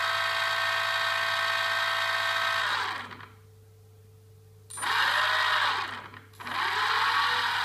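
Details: New NTM Prop Drive 28-30 800KV brushless motor spinning up: high whine with buzzing rattle and heavy vibration as it spins up and coasts down; bad bearing suspected.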